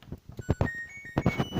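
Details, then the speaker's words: LG F4J7JY2W 10kg turbo washing machine plays a short, clean electronic tune of a few bright notes at switch-on; normal start-up chime before selecting a 14-minute wash. "as you can hear, our little tune played for us there, and turn the dial right round to a speed 14 wash."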